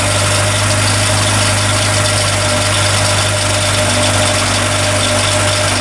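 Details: Restored Land Rover Series 3, completed and about to take its first drive, with a few teething problems still being sorted: even, settled idle with a steady low thrum and no tapping or stumbling; engine running cleanly, normal idle.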